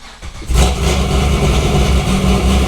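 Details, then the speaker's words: C6 Corvette with LS3 swap, first start at about 8 miles, recorded in closed garage: quick crank, then loud deep V8 bark settling into strong, even rumbling idle, no knocks or misses. "Definitely loud."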